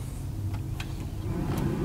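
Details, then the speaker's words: 2011 Ford F150 during a power-draw test with an Autel high-amp clamp on the battery-to-fuse-block cable: even low whir of the blower motor with no grinding or squeal once power returns; the blower is the power draw and sounds healthy. "Obviously we can hear the blower motor. We know that it's pulling the power. That's where the power draw is."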